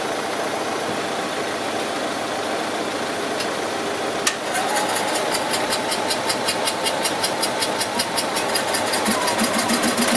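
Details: Invacar engine first start after 14 years abandoned in a field, with a Honda and a van idling nearby: catches after a few seconds, then chuffs unevenly about twice a second; rough, misfiring, one cylinder firing; owner suspects fuel not getting through, running only on poured-in fuel.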